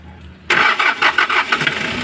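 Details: Hyundai Porter diesel with a hard-start problem; crank sensor and injector O-rings were replaced earlier, and the pressure relief valve has just been replaced. The starter catches and it fires at once into an even idle: normal quick start.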